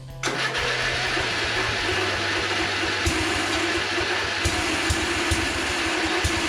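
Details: 1982 LongLife 36-inch lawn tractor, barn find sat for years, first start on jumper cables with fresh gas: catches and keeps running with a few irregular pops; likely flooding from a stuck-open float needle, running rich.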